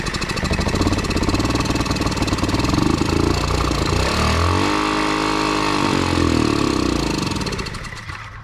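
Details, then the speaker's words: 2003 Honda Ruckus scooter on starter fluid with fuel pump clicking: catches and runs rough and uneven, rising then fading; runs only on starter fluid, varnished, clogged carburetor suspected. "okay so it does actually start that's actually really good news so now that we know that uh it'll start the next thing it's i'm going to do is i'm going to disconnect the fuel pump from the fuel tank and see if it'll run on fresh gas i still think i'm going to have to pull this carb and clean it"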